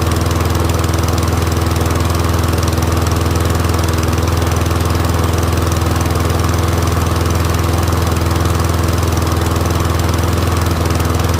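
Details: Troy-Bilt Briggs & Stratton rear-wheel-drive mower after ultrasonic carb clean, warming up with smoke clearing; steady even low drone at constant speed, no misses or surging; running healthy.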